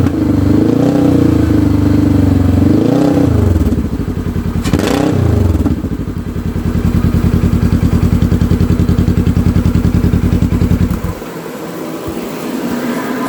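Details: 2015 Polaris RZR 900 S after fitting an RZR 900XP exhaust: engine barks through a couple of quick revs, settles to an even steady idle, then shuts off; runs clean and healthy.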